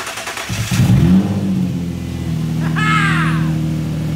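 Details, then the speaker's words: Nissan VQ V6 in a drift project car, started again after reconnecting the battery terminals: starter churns about a second, then it catches cleanly into an even, steady idle. Normal engine start. "My VQ starts and runs great. Our steering works. It sounds amazing."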